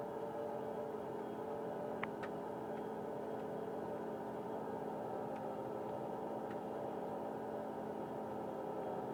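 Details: 1999 Mitsubishi Pajero iO, engine running: a steady mid-pitched whine and faint howl over a smooth idle, present from start to shutoff and worse as the car warms and is driven. The temperature gauge never reaches half. Mechanics variously blamed alternator bearings, the AC compressor or the water pump; unconfirmed.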